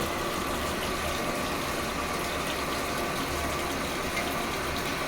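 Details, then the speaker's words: Sharp ESX958 automatic washing machine after replacing the water level sensor to fix E2 error: strong, steady water rush into the tub with faint pump drone, no error; previously water stopped filling, now inlet fills normally. "ये देखिए ये देखिए पानी गिर रहा है इसमें पहले पानी जो है वो रुक जाता था गिरता नहीं था पानी बिल्कुल सही आ रहा है"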